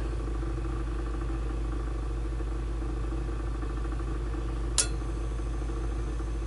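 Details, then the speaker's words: Lennox pulse furnace lighting on retry after failing the first trial, unused about a year. Loud, steady low outboard-like drone with one sharp click; normal pulse combustion. "We got ignition. These things are loud as hell. That's why everything is insulated."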